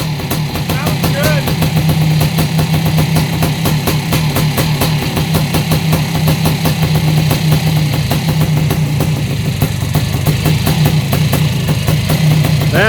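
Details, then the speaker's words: Yamaha YZ490 air-cooled two-stroke after installing missing kickstart idle gear parts: crisp, even popping idle with noisy top end, no knocks or rattles, possibly slightly rich; normal idle. "uh these air cooled motors are sure noisy though listen to the top end of that thing it sounds like dynamite like it's gonna explode idle and clean"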